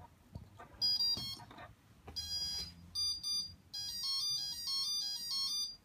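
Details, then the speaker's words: BLHeli calibration tone from one motor on a Q-Brain 4-in-1 ESC flashed to BLHeli 14.2, servo tester at maximum throttle on power-up: series of high melodic beeps, rising note groups then repeating pattern, confirming correct firmware. "okay so that's the um calibration tone you get with BL heli that's also confirming that uh it does have the right firmware on the on the speed controller"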